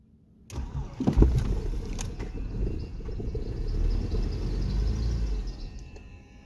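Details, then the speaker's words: 2002 BMW E46 316 with N42 engine, first cold start of the morning: the starter whirs, it catches and runs unevenly for about 2 seconds, then dies. This happens every morning. A local mechanic suspects oil in the head causing a loss of compression; unconfirmed. "So when I try to light it up every morning, the first time she starts, works for 2 seconds and then go off."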